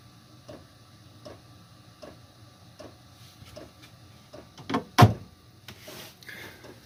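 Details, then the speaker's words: Chinese 8 kW diesel heater in 1986 Fleetwood Prowler 23P trailer, heard from inside, fan minimum set to 2500 (max 5000): soft even clicks about every 0.75 s over low fan hum; normal fuel pump ticking, quiet enough to sleep through. "people might say that the fan is a little or the fuel pump is a little too loud yeah I still feel heat fan air coming through there but in all honesty sitting here on the couch it's really not that loud"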